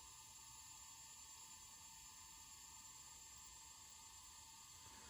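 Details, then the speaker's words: Hitachi 20 GB 2.5" IDE hard drive made July 2001, run through a USB IDE connector, from an HP Pavilion N5445 laptop (~2001): steady high-pitched spindle whir with a fine hiss, louder than it should be; owner suspects wearing bearings. "It's not the worst. The older hard drives are even louder than this. But that's the spinning speed."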